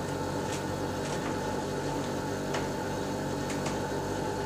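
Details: Lennox Pulse21 furnace (installed 1993) after repaired control board: clicking, then inducer/exhaust fan runs with steady soft whir, low even hum and a few light ticks while blower waits; green light steady, normal startup.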